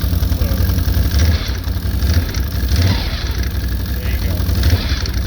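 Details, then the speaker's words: 2012 Can-Am Outlander 1000 XT/XMR, 89 ft-lbs on the primary, EPI secondary spring, new belt not yet broken in: low, steady idle, even beat, no knocks, rattles or clutch chatter; secondary stays still until throttle. "let's go ahead and start it up and I'll show you what I'm talking about so the secondary stay still until I give it gas"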